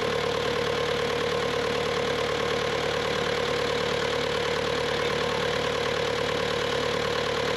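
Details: Bobcat T300 diesel skid steer: even, steady idle clatter with no stumbling, knocks or rough patches; normal idle.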